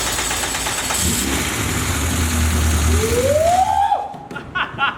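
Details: Honda K20 engine build, first start: catches right away and runs strong and even for a few seconds, then shut off; healthy first start.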